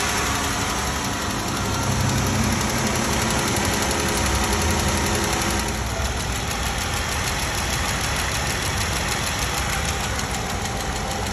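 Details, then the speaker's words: 2016 Jeep Wrangler 3.6 L V6 at idle with a sharp, steady tick; a single rocker arm with a collapsed roller bearing that also scored the camshaft, and the tick goes away after rocker arm replacement. "you can hear, this thing's got a bad tick. And today I'm going to show you guys why these engines make this ticking and what to do about it."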